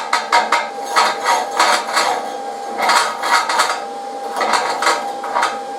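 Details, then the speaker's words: YesWelder CT2050 stick welding at 120 A with a flat/horizontal-only rod. Crackling, sizzling bursts about once a second with short pauses between: a normal whip-and-pause stick arc. "so check that out guys it's just a real fun rod to run"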